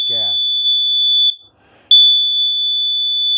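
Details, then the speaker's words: Kidde plug-in combination explosive gas and carbon monoxide detector with 9-volt battery backup, test button pressed: long steady high-pitched beeps with brief pauses signal explosive gas, before the four quick beeps that indicate carbon monoxide. "the first beeps are for gas then the second set of beeps which which are beep beep beep that's for carbon monoxide"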